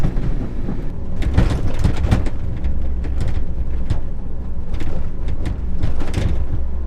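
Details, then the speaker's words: 1997 Toyota RAV4 driving a rough road after new suspension: sharp, uneven clunks and rattles over deep road rumble from the rear hatch door, which has a lot of play in its latch. "the problem is this back door rattles a ton not cool let's go for a drive and I'll show you I'm just driving down your typical kind of beat-up road here in Utah and the amount of noise coming from that door is maddening"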